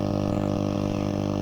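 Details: Hacker Herald RP30 transistor radio after reflowing an oscillator-circuit solder joint: steady buzzing hum with several fixed tones, unchanged; the receiver is still producing noise.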